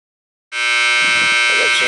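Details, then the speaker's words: 2.5-ton air conditioner condenser, no-cooling call with tripped breaker and burnt compressor wire: loud steady high-pitched electrical buzz starting abruptly and holding; bad contactor humming. "see that contactor was bad it was making all kinds of humming noises and stuff"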